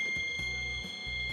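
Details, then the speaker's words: Multimeter continuity beep on Panasonic air conditioner control board that won't turn on: unbroken high beep across the bridge rectifier's AC input pins, rectifier shorted. "เพื่อนๆก็ลองสลับมเตอร์ดูนะครับสลับสายมิเตอร์ดูอีกทีเพื่อความชัวร์นะครับอ่าเห็นมยช็อตจริงๆ2ขานี้นะครับเป็นฝั่งของไฟเข้านะครับก็คือไฟACนะครับ"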